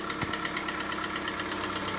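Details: Citroen C3 engine at idle with a sharp, even tick about nine times a second, persisting after oil pressure light goes out; valve adjustment via screws and locknuts did not help, cause unknown.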